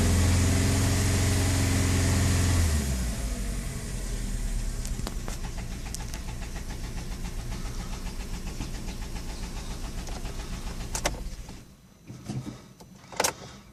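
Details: VW Fox Prime 1.6, 11,000 km, six months old, engine noise after dealer work blamed on spark plugs: fires and idles with a regular knocking about four beats a second; source not pinned down, cause unconfirmed.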